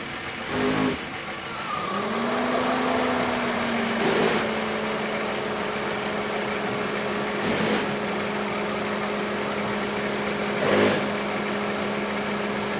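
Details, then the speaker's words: Car idling during O2 sensor test with propane added to force rich, sensor pegged rich and fuel trim pulling fuel: steady even idle with radiator cooling fan whirring on. "Okay, at this point, the cooling fan kicked on, so it's a little hard to hear me."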